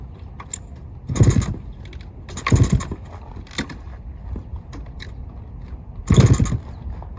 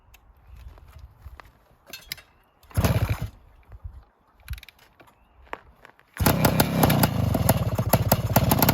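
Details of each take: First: 1972 Suzuki TS185, not run in about 30 years, new carb, fresh oil, in neutral; four kick-start attempts each dying without catching, spark not yet checked, owner suspects no spark, later traced to CDI. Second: 1972 Suzuki TS185 two-stroke after carb tuning, ridden through the gears: it catches and settles into a quick, steady ring-ding idle at about 1800–1900 rpm, adjustable with the idle screw; normal healthy idle.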